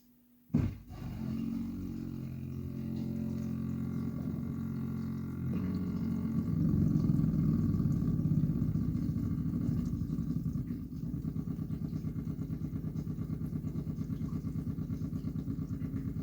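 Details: Whirlpool UK dishwasher WFC3C33PFXUK, straight after filling at start of cycle: deep loud droning hum like a tuba, then fast machine-gun rattle; only at start, washes fine, no fault apparent.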